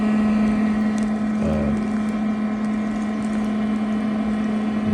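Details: Old used Mosquito Magnet trap, reassembled after repair (the owner suspects the fuel nozzle was the issue), running overnight outdoors. Steady, even low hum with no rattles or surging: the fan is running normally.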